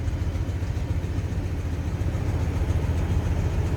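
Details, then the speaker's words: 1958 Cadillac Sedan DeVille, 365 cubic inch (6-litre) V8, idling while warming up, heard from the rear. Deep even idle with steady low burble, no knocks or misses, no crazy exhaust; smooth, healthy running. "No crazy exhaust. Smooth running Cadillac, just like you'd expect."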